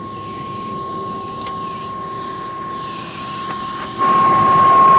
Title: A/C Condenser fan humming sound